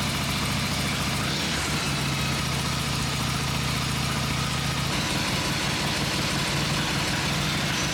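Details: Vintage Harley Shovelhead V-twin on the stand after full engine and transmission rebuild: deep loping idle about three beats a second, steady, no knocks or misses; sounds good, normal healthy idle.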